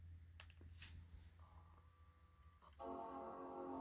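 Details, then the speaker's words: PowerBook G4 Titanium (TiBook) power-on: a few quiet clicks, then a bright sustained startup chime with the hard drive audibly spinning and clicking; normal startup, drive working. "okay that's good we have a chime I hear a hard drive in there as well"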